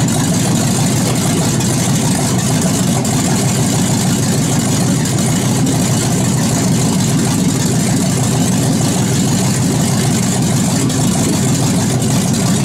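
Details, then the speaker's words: 2001 Chevy Suburban V8, first start-up after head rebuild and reinstall: loud, steady rumble at even idle with no ticks or knocks; engine sounds tight and healthy, normal idle. "you shove right off it sound pretty tight not too shabby for old Chevy fire"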